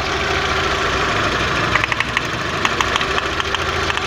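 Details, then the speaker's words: VW Jetta Mk4 2.0 losing power badly. Rough, uneven idle with a lumpy stumble and irregular popping; cylinders 1 and 4 are not firing despite having spark, so spark plugs are next to be checked. "Escuchen, tiene chispa. Y el carro sigue fallando exactamente igual. O sea, exactamente, no están trabajando esos dos cilindros, el 1 y el 4, pero sí hay chispa."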